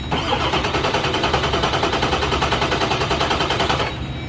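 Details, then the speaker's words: Ford 7.3 Powerstroke diesel, after replacing driver-side glow plugs (cylinder 4 code), cranked via starter jumper to check for hydrolock from oil in glow plug holes: starter turns evenly, about six or seven compression pulses a second, no binding; cranks freely, not locked. "And what we're doing is making sure the engine cranks over. So I'm having to apply power to this since I had to make battery cables because this was a theft vehicle. So we're just gonna listen to it crank over and make sure it's not hydro locked."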